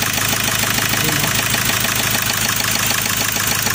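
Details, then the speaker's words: Ford Ranger 2.2 L diesel after refitting injectors 1–4, no check engine light: loud, clattery, uneven gritty idle with vibration; coolant loss, oil and diesel leaking at the rear, white smoke, overheating suspected; cause unconfirmed. "Tapos punta tayo sa makina Ayan naung makina kaso ma-i at sa maka maingay so ma-i brate at saka maingay"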